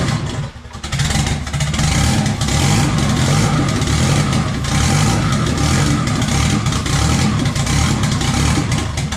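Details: Budget eBay turbo K-swap (Honda K-series) first start with the turbo fitted after replacing the oil feed line: engine catches quickly, settles into a strong even run with throttle blips, no clatter or knock; turbo spools, no leak there though maybe a drip somewhere, healthy.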